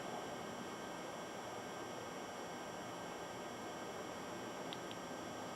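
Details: Sony VPL-AW15 Bravia LCD projector, circa 2007–2009, after main bottom blower fan repair for a fan error: smooth, constant airy whoosh with no ticking, scraping or surging; blower running evenly.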